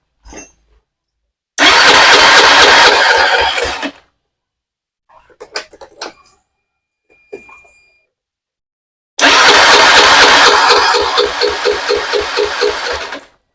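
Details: Honda Beat FI injection scooter cranking long with starter churning in two bursts, engine never catches; idle was unstable and stalling, compression suspected insufficient, cause not confirmed.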